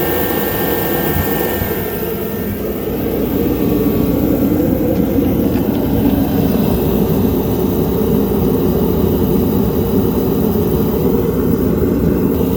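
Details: A dual-fuel kerosene heater bought at auction runs with its lid back on after repair with a pump rotor kit, air filter and seal. It gives a steady, even roar from burner and fan with no surging or popping: normal, healthy running.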